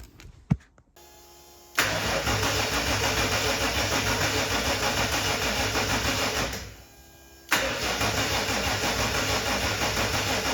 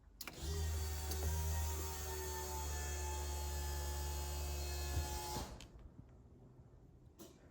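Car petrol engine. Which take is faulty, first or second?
first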